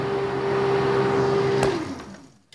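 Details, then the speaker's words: 2003 Honda Foreman 450, key on, temp sensor wire jumped to ground: fan runs with overheat light on, steady even whirring hum then cuts off and winds down; fan circuit good, failed temp sensor was the fault. "but if you take this and jump up to ground what that does is complaints the circuit to ground runs the fan and the actual overheat light is on"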